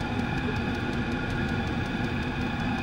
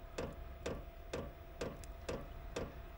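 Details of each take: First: Chinese diesel garage heater on high after cleaning out to cure fuel-related error codes E08 and E10, possibly a fuel cap venting problem; steady, even roar with constant whirring fan, no surging or knocking, exhaust clear and odorless. Running perfectly. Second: Chinese diesel heater with fuel-related error codes E08/E10 after installation changes, running a little rich and smoking: sharp, even ticks about twice a second over a faint tone, burner never catches; no ignition from carbon-blocked exhaust.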